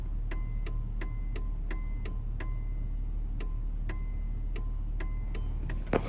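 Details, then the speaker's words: Truck with the engine idling and blinkers off: sharp relay-like clicks about three per second come at random, a phantom turn-signal click that returned after the multi-switch was fixed. Owner suspects dirty electrical connections, else the multi-switch; unconfirmed. "The most annoying sound in the world when your blinkers are not flashing, but it is clicking."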